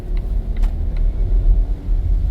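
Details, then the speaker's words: 2016 Volvo XC90 driving after replacing the inner and outer tie rods: only steady tyre and road rumble. The earlier driver-side front clunk at 25-30 mph over uneven pavement, which new motor mounts did not fix, is gone. "I think the the issue is fixed cuz I don't I I don't hear any more clunking noise all you can hear is the road noise the tire on the road"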